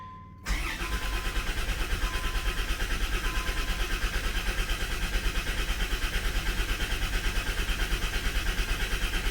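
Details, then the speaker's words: Dodge/Plymouth minivan from the fleet, after sitting, on jump box with fuel pump heard: long, steady starter churn with a chime behind, never catching; owner suspects no spark, possibly unhooked coil pack. "It's like we have no spark. I know it would crank for a while when it sits, but like this is excessive."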